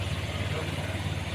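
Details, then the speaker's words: Honda Vario 150 scooter after repairing a burnt ECM socket that caused the starter to only click and not crank: now starts instantly on the starter and settles into a smooth, even idle with no misses or knocks. "Oke motor langsung nyala dengan starter yang dengan sempurna elemen jadi staternya sudah sempurna kembali tidak ada pokok permasalah"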